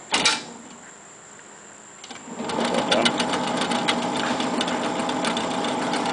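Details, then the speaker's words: Binaural stereo reel-to-reel tape deck with 2/4-track head shifting, playing forward; uneven clattering and ticking with a thin high whine over the motor, sounds horrible because the pinch roller isn't moving far enough in to engage. "sounds terrible on the pinol is not moving so that's not going far enough into it it sounds horrible"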